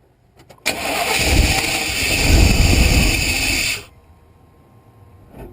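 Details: 1988 Chevrolet 2500 pickup, 5.7L TBI, that would not start without a fuel prime: steady starter cranking about four beats a second for three seconds, never catches; the cause was a failed spark module, fixed by replacing it.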